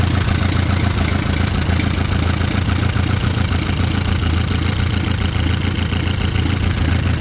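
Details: 1931 Excelsior Henderson KJ four-cylinder motorcycle, first start in over 50 years: busy idle with rapid, fairly even exhaust beat of three or four pulses a second, no stumbling. Normal idle.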